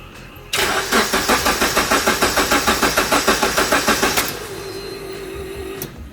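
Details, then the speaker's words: Honda Civic EF with K24 swap on standalone ECU: steady starter churning about 3.5 compression pulses per second, never catching; crank no start, rodent-chewed crank sensor wire later found. "Kita coba starter. Nggak mau hidup dia mal."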